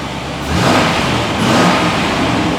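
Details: 1999 Chevrolet Suburban 5.7 V8, previously a crank no-start from a stripped distributor gear, now running after a new distributor was fitted; engine pulls up cleanly through a quick rev and holds smooth and even with no miss or knock, sounding healthy.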